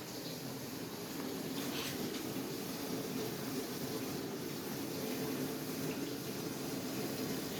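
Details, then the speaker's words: Bosch Ecosense dishwasher on regular cycle: steady watery hiss with soft splashing, no mechanical rhythm; the lid was not fully closed on one side, causing the unusual noise. "my boss eco sentence dishwasher is making a sound some slithering noise or something like that"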